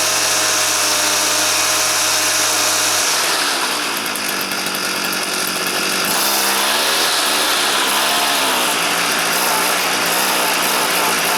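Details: Stihl FS 400 professional brushcutter, two-stroke, previously wouldn't start (spark present, plug dry, fuel not reaching chamber), started with choke closed: buzzes steadily, pitch stays low and sags when throttled; runs but won't rev, filter fine.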